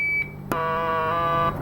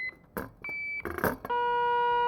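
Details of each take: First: 1964 IME 84 transistorized desk calculator, germanium transistor on one of four identical logic cards checked with an audio test tone: after a short beep, a buzzy, reedy, overtone-rich tone marks the faulty transistor. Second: 1964 IME 84 transistorized Nixie desk calculator repair, testing its germanium transistors with an audio tester: short probing clicks, then a clean steady high tone matching the others; these transistors read healthy.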